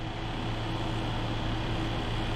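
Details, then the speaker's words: Minn Kota trolling motor after repair (water and gunk cleaned from lower end, new seals and brushes, negative-side connection fixed), run on charged battery: smooth steady electric hum, even low drone, no grinding; running like new. "Running like a brand new one."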